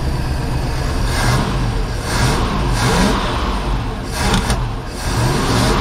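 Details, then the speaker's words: Project boat, port inboard engine at its first start-up on a water hose, idling and revving: smooth steady low rumble with no knock or tapping; sounds good compared with the starboard engine's suspected rod knock. "This one sounds pretty good. I'll double check it because it could just be a lifter too."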